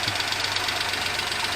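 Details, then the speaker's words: Daihatsu HiJet S83P mini truck, just after valve adjustment, high idle with choke stuck closed: fast even ticking; one valve sounds loud despite adjustment, cause unconfirmed. "Sounds like one of the valves are loud, but I adjusted them all."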